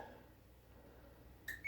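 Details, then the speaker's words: Samsung dishwasher powered back on after clearing LC leak code and letting it dry with door open: short chirp then steady high beep; control board powering up normally. "Power back on."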